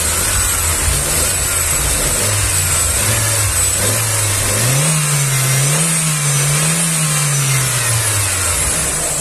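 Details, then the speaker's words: 2009 Chevrolet Astra, 90,000 km, after repair of knocking/pinging (fourth injector faulty, new Bosch injector): revving gives smooth clean rise and fall in pitch, no knocking or ticking; now quiet, normal revving. "e aí o barulho pessoal aparentemente ele acelerou acelerei o motorzinho ficou silencioso ficou bom ó pessoal então ficou bom o motor cliente gostou o barulho Tá legal"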